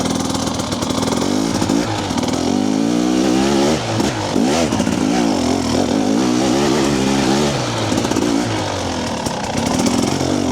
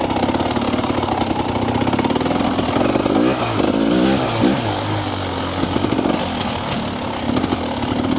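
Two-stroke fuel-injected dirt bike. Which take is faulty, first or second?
second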